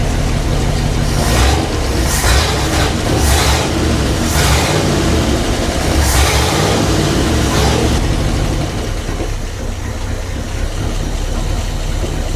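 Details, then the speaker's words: 1959 Ford Fairlane 500 V8, running after sitting at least 15 years, worn carburetor linkage, frozen air bleed screws and a flat spot off idle; revs blip unevenly, hanging and dropping before settling: uneven revving from worn carburetor throttle shaft. "Yeah, this this is wonky. It's all messed up and these that shaft is messed up."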